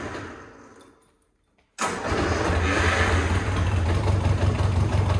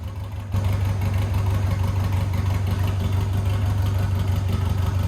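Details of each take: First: Lotus 7 Birkin S3, clutch stuck to flywheel, started in second gear with clutch down and brakes applied to jolt it free: engine fires and idles steadily, then a slight lurch and tone change as the clutch breaks free, avoiding engine removal. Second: 1990 Birkin S3 Lotus 7 clone, off the road five years, after clutch stuck to flywheel broke free; engine settles into steady even low beat under light load, car moving under own power, no knocks or grinding; normal running.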